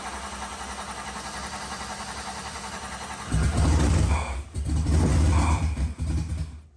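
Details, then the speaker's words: 1969 Chevy C30 tow truck with a 6.0 LS and Hellcat supercharger, first start attempts after the build: a steady cranking whir at about four beats a second winds down each time without firing. Owner thinks the fuel is priming, but it still wouldn't run after many tries. "It's just priming itself. The fuel. Okay, after doing this what felt like a million times, the tow truck still wouldn't run."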